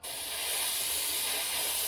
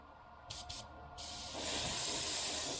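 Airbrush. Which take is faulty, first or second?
second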